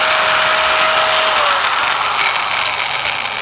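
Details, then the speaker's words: Angle grinder that was noisy and wandered 5–10 mm when cutting, run after the bearing and gearbox were changed and the four screws tightened: smooth steady high whine winding down, no rattle, noticeably quieter than before. Normal running. "तो आप लोग दोस्तों देख सकते हैं पहले से एकदम आवाज थोड़ा कम हो गया है"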